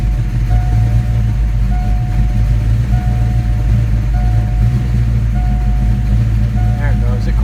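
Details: 1987 V8 after Promaxx heads install, idling after battery disconnect relearn: deep even rumble with no rocker tick, top end steady; normal idle.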